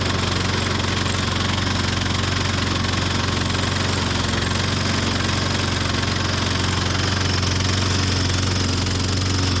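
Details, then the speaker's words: 1998 Ariens 21-inch self-propelled mower (model 911080, engine VLV60) being revived: the single-cylinder engine chugs unevenly at about four beats a second with a terrible clanking, then dies on its own. The cause of the rough running was not yet found. "I don't think I did that I think it died on its own there what sounds so terrible my goodness"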